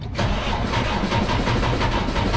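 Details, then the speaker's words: Cascadia DD15 diesel, believed 2017, ~800–900k miles, consuming coolant: labored, struggling crank during a compression test, with number 3 cylinder reading only 18%; low compression from a failed number 3 liner caused by an over-fueling injector. "That's really struggling to start. That sounds horrible, absolutely horrible."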